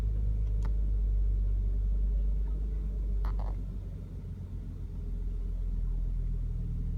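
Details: BMW E60 530i, N53B30 engine, rough idle followed by check-engine light; low rumble with an uneven regular stumble about four times a second and revs sagging briefly, cause undetermined.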